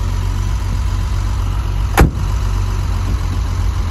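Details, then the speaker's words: 50-year-old Triumph 2500S, just started on choke after over two years in storage: steady, even low idle with one brief click midway, ticking over smoothly with no knock or miss. "okay so uh so far so good at least the engine started"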